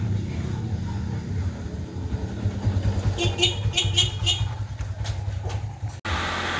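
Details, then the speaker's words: Honda CR-V after fitting the belt tensioner bracket; the earlier noise turned out to be the belt: a steady, low engine hum with no rattle or tapping over street noise and a horn; the rattle is gone and it runs quiet and normal. "idol nawala na 'yung wala na 'yung tagalkal Tahimik na."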